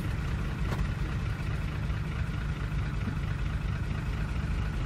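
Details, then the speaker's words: 2004 Ford F-150 5.4L 3-valve V8 idling in park: low, steady idle with a faint, rapid knock under the rumble; cam phaser knock from the locking pin, linked to low or inconsistent oil pressure and a weak return spring. "okay so we're in park right now we have our phaser knock and we're going to put it into five"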